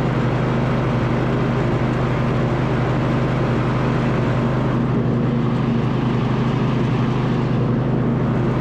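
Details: 2007 MTD/White Outdoors 54in zero-turn mower, rebuilt deck with new spindle bearings, covers off, first test after belt routing: smooth steady hum, no rumble, grind or wobble; normal, quiet deck running.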